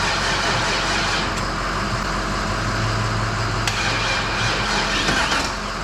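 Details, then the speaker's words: 1951 Chevy pickup V8 running after new injectors (old ones likely all stuck open, flooding fuel) and new Denso O2 sensors, plugs cleaned, fresh gas: smooth steady rumble at even speed, no misses or stumbles; running right. "so it was like a fire hose of gasoline coming out so we are running nice i'm probably yelling but i'm very excited"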